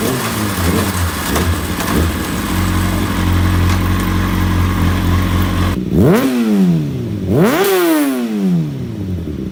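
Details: 2005 Kawasaki ZX-6R four-cylinder after fixing a dead cylinder, not fully warmed up: smooth even idle then two clean sharp blips rising and falling freely; all four cylinders firing, normal revving.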